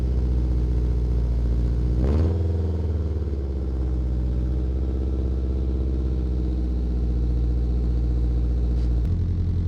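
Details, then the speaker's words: Acura Integra with a huge hole in the bottom of the exhaust flex pipe, before its replacement: loud, raw, deep exhaust drone with a quick rev, blatting like an open header. "the bottom of it is there's a huge hole and it's what's causing the open header noise or sound open header sound"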